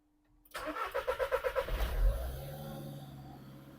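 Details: VW Caddy diesel after a fuel filter replacement for low fuel pressure (P0087 code). The pump was primed with ignition on, then started with slight throttle: brief rhythmic cranking, then it catches cleanly and is held steady around 2000 rpm. Normal start, no stumbling.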